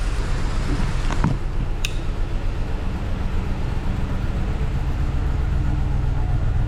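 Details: 2015 Ford F-350 Super Duty 6.2 V8 at idle: lumpy, shaking rumble with a dead-cylinder stumble about four times a second from a bad misfire that began suddenly while driving, not towing; teardown found a broken exhaust valve spring.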